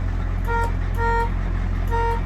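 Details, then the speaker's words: International diesel dump truck, stock horn sounded at idle before installing a new tankless air horn; three short thin, quiet honks barely above the diesel rumble; horn too weak for traffic. "not very loud um i don't know if you can hear that so we're going to be addressing that horn um because out in traffic and stuff i don't know it just doesn't quite do it for me"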